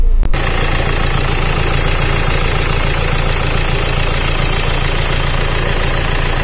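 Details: Renault Duster with check engine light and error DF1018 (computer electronic internal fault): steady but uneven engine note with an irregular stumble and dull knocking, a recurring misfire; faulty ECM or injector suspected, and clearing codes only sometimes fixes it.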